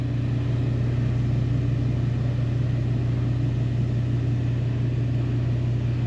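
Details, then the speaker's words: Mr Heater Big Maxx heater, one year old, on its second motor and fan; a steady low drone with a heavy throbbing hum as it vibrates excessively despite rubber washers. Owner suspects a bent fan blade. "yeah that's vibrating like crazy look at this electric line it's like all over the place and that's vibrating what it's attached to this thing's going to shake itself apart"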